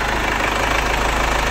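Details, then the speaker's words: Chevrolet Captiva FL turbo diesel after turbo and fuel line cleaning, turbo hose replacement, original turbo cartridge refitted, actuator reset and injector service: even, steady idle with light normal clatter; earlier idle smoke now gone. "Jadi kemarin mobil ini saat idel pun itu mobil berasap sekarang Alhamdulillah udah hilang asapnya"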